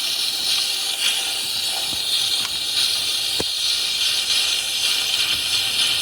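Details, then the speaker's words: 6.0 Powerstroke with crank no start and low high-pressure oil, valve cover off, system air-pressurised through a special fitting: loud steady hiss that changes as the stand pipe fitting is loosened, pinpointing the leaking stand pipe. "See how the sound's changing? That's telling me that this one's the problem one."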